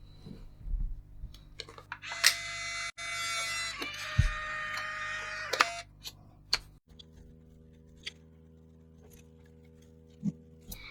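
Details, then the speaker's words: Fujifilm Instax Mini, reassembled after fixing the flashing-orange-light fault by replacing the board: a sharp shutter click, then a smooth few-second motor whirr as the print feeds out. Shutter and film eject work; the film was previously light-exposed. "To be fair, I did open this film and it was exposed to light, but it works."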